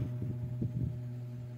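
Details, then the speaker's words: B-35 bass amplifier powered on with mic at input: only a steady low mains hum with faint throbbing and no signal passing; the power amp section is faulty. "Ayan okay Guys meron tayong gagawin na b35 b amplifier saksak natin bale pag inom natin siya Ugong lang"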